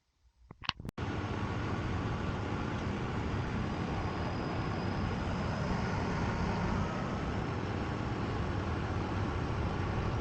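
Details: Miele WKG 130 WPS washing machine after shock absorber replacement to fix spin vibration and knocking: a few handling clicks, then a steady even rumble at spin speed, no knocking or thumping; normal spin.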